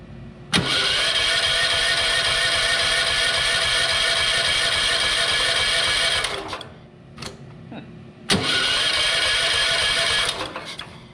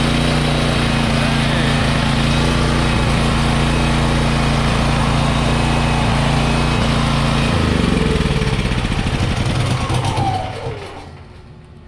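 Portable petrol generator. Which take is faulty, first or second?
first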